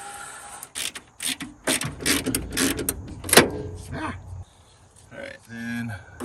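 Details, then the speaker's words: 1994 Ford Ranger XLT 4x4 rescued from a junkyard: the driver's power window motor gives several short clean whirs with no grinding or clicking. The window now works normally. "we have a working driver's window that's very nice"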